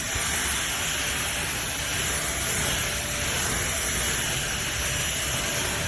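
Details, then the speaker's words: SMOTURE 600W 50KPA cordless stick vacuum, newly bought and running on its power levels. A constant airy rush with a steady high motor whine at an even level; running normally. "It's got two ways to power up. So I turn it on here, and if I want it to be more powerful, I press the button again."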